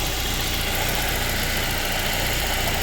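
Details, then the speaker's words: 2010–2013 Ford Transit after serpentine belt tensioner replacement, battery weak: steady, smooth idle with even hum and no squeal, chirp or rattle from the belt drive; tensioner pulley no longer moving. Normal idle. "I don't see where the pulley's moving any, so that might be all it was. I'm just going to let it idle for a while."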